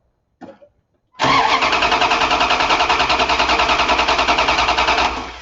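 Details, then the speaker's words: Starting system insulated-circuit voltage drop test: strong, even cranking about three turns a second, no dragging or clicking; meter shows about 0.287 V drop against a 1.2 V limit, so the circuit is in fantastic shape. "we said we could have up to one point two so the insulated circuit on this starting system is in fantastic shape"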